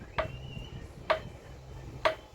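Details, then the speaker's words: Motorcycle front wheel spun by hand with the brake caliper removed, giving a sharp tap or knock about once per revolution. It is heard only when the rim turns, from around the axle; wheel bearings suspected, not confirmed. "Pueden observar, pueden escuchar ustedes ahí, amigos, el ruido que hace. Es como un golpe, como un golpeteo,"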